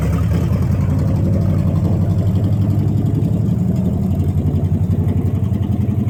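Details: Dodge Challenger after new spark plugs (previously fouled, running rich) and fixed vacuum hose: steady, even lumpy idle with deep regular exhaust pulse and no misses; healthy idle.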